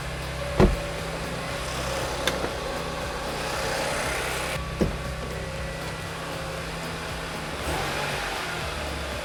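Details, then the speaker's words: Audi S5 B8 running after new NGK spark plugs, NGK coil packs and a Revo cold air intake: steady even low drone with prominent intake sound, no knocks, ticks or misses; healthy. "oh that sounds awesome well i love that cold air intake sound what an awesome sound from that cold air intake i like it"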